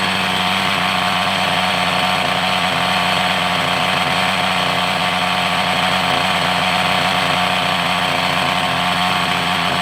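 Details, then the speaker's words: Hobao Hyper 7 nitro RC car, sat over two years, first run after repair: high buzzy engine holds a steady, even note with no misses; runs clean, though the idle (tick-over) screw still needs adjusting. "that sounds absolutely wonderful. Actually, that sounds brilliant. The tick over screw needs to go in."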